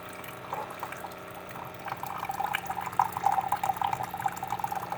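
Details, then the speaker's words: Keurig coffee maker reported as not shutting off its water, but it now appears to work: after heating up, closing the lid and picking the cup size, the air pump runs, with quiet irregular gurgling as hot water is pushed through in a normal brew. "now I'll pick the cup size well there goes the air pump"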